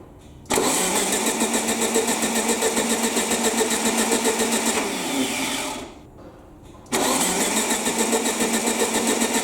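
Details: Air-cooled VW Baja Bug parked 20 years, new NGK B4 plugs, fuel present, electronic points: starter cranks rhythmically, pauses, cranks again, never catches.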